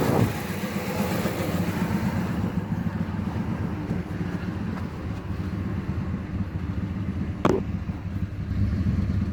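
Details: 2008 Dodge Ram 1500 at idle: a deep, uneven, lumpy, stumbling beat with no steady rhythm; rough idle with only multiple-cylinder misfire codes stored, cause not yet known.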